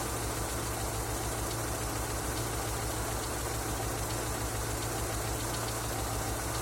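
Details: Engine knocking after an oil change: steady idle with a dull, loose knock ticking along under the engine note; knocking at idle, cause not yet pinned down.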